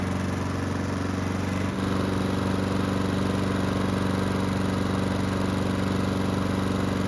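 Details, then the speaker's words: Honda mower after carburettor work, restarted hot after several minutes running: steady even beat with no surging, though lightly smoking; normal running. "So the good news is that the engine had no issues starting back up when hot. There's also no surging, which is great news."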